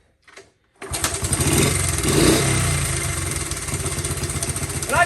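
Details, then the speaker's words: Honda CT70 after rebuild and new ignition switch, running on a jumper wire with no battery and its smoking issue cleared: catches after a short crank, slight hunt at first start, then a steady quick putter; healthy idle. "I think it might pump a little bit at first start up but it seems to have you know come into it"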